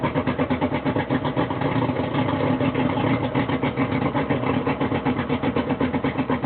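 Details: Suzuki DT225 outboard running on flush muffs with a homemade flush muffler fitted, now sounding like a 50 hp; steady even throb about four pulses a second, muffled deep note, running smoothly.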